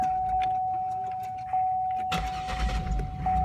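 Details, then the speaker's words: 2003 Buick LeSabre Custom, 3.8L 3800 Series II V6, 74,000 miles, usually hard to start cold; warmed to about 106 degrees coolant: chime then starter catches almost instantly and runs smoothly; normal warm start, owner suspects tune-up needed. "starts right up and it just barely tapped the starter"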